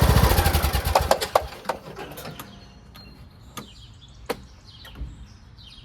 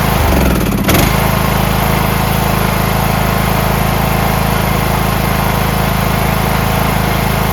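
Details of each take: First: Craftsman MTD T1600 lawn tractor, fuel shutoff newly installed: uneven, labored cranking that slows and fades into scattered clicks as the engine hesitates on the compression stroke. Once running it sounds great; owner suspects a broken compression release (ACR), later replaced with the camshaft. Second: Craftsman MTD T1600 lawn tractor with 46-inch deck, first start after camshaft and automatic compression release (ACR) replacement: brief clatter, then an even low thrum settles at a steady rate, a smooth, healthy idle.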